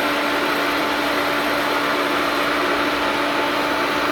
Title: Pump doing loud noise